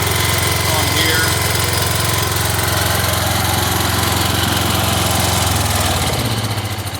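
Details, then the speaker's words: Wheel Horse Raider 10 garden tractor, PTO and deck test with new deck belt: steady single-cylinder chug, blades humming under cutting load, no knocks or belt squeal; decent cut, though deck is worn and falling apart. "But it does produce a pretty decent cut for an old machine, huh?"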